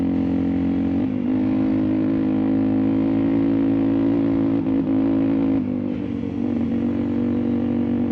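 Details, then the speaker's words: Dirt bike ridden at altitude in dusty Moab terrain: steady mid-rev drone that drops out momentarily several times; riders first suspected the high altitude for a bike set up for New Mexico, later suspected dust. "notice that little, almost like the audio just cuts out. Well, that's what the TT was doing."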